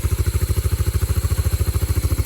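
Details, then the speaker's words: Yamaha Moto 4 (225/250) ATV single after bent-valve rebuild and exhaust valve clearance set to 0.006, already a little warm: steady, even single thump, no tapping on top. Smooth, healthy normal idle. "It's nice and smooth. Kind of see how the lights work too, but it's already a little warm."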